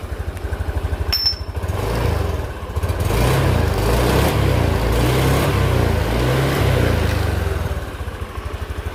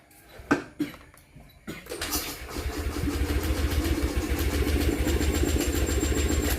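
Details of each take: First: Honda Beat 2020 single-cylinder scooter (oil had blown into air filter, wouldn't start) after replacing dirty fuel pump filter and faulty TPS sensor: even low putter at idle, revs up smoothly and settles back, no knocks or rattles; normal running. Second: Honda Beat 2020 scooter with oil pushed up into the air filter, towed in: starter cranks at a steady three or four pulses a second but never fires; crank no start from damaged piston rings.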